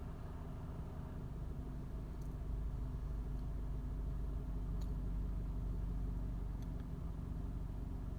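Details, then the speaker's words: Suzuki SX4 after AC compressor replacement, engine idling: faint sharp clicks as compressor clutch engages and releases with evaporator temperature swinging about 3–4 degrees; normal cycling. "clutch just kicked in three degrees so the refrigerant is circulating evaporator temp will drop it will hit the limit clutch kicks out"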